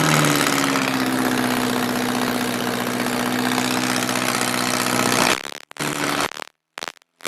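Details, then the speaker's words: 1978 MG with a swapped-in 1.6L Miata engine, started cold in a garage after the idle air control valve was deleted to fix a vacuum leak: quick flare settling into a fast, steady cold idle, no misses or knocks, then shut off; best it has ever run. "yo i i have to admit that is the absolute best that it has ever run man that is invigorating"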